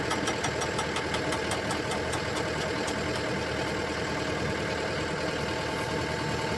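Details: Komatsu excavator swinging; rapid regular metallic ticking, several per second, over the engine during the swing, then fading, abnormal noise from the swivel joint.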